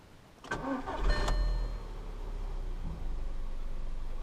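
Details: Skoda Fabia Monte Carlo, listed as a non-runner from Copart. The starter turns briefly and the engine catches at once, then settles into a steady, even idle with no misses or knocks: a healthy start.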